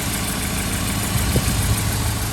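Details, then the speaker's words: 2013 Chevy Caprice PPV, L77 LS V8, after displacement-on-demand delete: low, lumpy idle with uneven pulse and occasional stumbles; rough running traced to a cam gear with the wrong reluctor pattern. "when i started the car there you could tell that it wasn't running right if you got a good ear"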